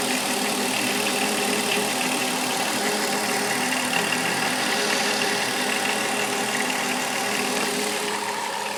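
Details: Chrysler Town and Country 3.3-liter V6 idling with a light, irregular rattle, a few taps a second, over an even hum, not clearly tied to speed; engine rattle, cause unknown.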